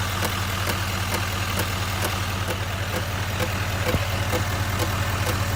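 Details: 2019 Chevrolet Silverado 2500 HD L5P diesel at idle with loud clicking/tapping from the front of the engine, sharp even ticks about two and a half per second over a steady rumble; cause unknown.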